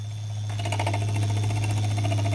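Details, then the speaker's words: Venom E-Vader 2000W electric motorcycle on rear stand: rapid even ticking over motor hum tracking wheel speed as rear wheel spins; brake cable's spiral metal sleeve rubbing the rear rotor. "ay so you may have guessed it or may have not guessed it but pretty much the sound is coming from the brake cables uh spiral metal thing that's hitting the rear rotor so if I were to turn it you can hear it's hitting"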